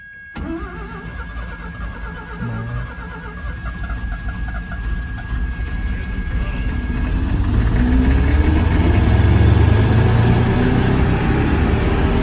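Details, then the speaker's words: Mazda RX-7 rotary after carburetor rebuild and homemade gasket, first start: cranks and fires, then lumpy, uneven idle that slowly builds; runs really rough, carburetor still untuned; rough idle. "It started. Alright, so yeah, the car runs now. That's very good. Runs really rough."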